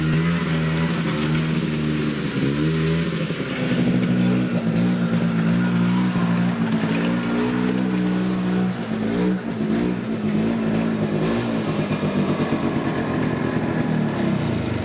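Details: Yamaha Bravo 250 two-stroke snowmobile with Keegan carburetor, after cleaning the carb (previously bogged once warm): revs climb smoothly from idle and hold a crisp, even pitch without stumbling or bogging; engine pulls cleanly.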